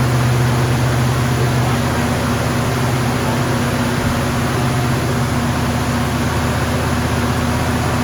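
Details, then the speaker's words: 1974 AMC Javelin, first start after valve cover gasket replacement: engine holds a steady raised idle that never settles; choke stays on because the heat riser brass fitting is not hooked up. "all right we noticed um when we got the car started that um the choke was staying on so this little heat riser thingy majiggy here was not hooked up"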